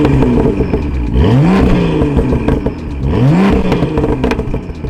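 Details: BMW M2 with M Performance exhaust, valves opened by remote in sport mode, after exhaust issues were fixed: two clean rev blips, deep and even with no rattle or buzz; exhaust healthy.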